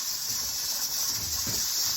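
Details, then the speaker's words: Pressure canner processing mushrooms, with the weighted gauge rocking ("doing the hula") throughout, just as processing time ends and the stove is turned off. Steady high steam hiss with a faint soft rattle. Normal venting pressure. "So the weighted gauge has been doing the hula this whole time. I'm gonna go ahead and turn off the stove."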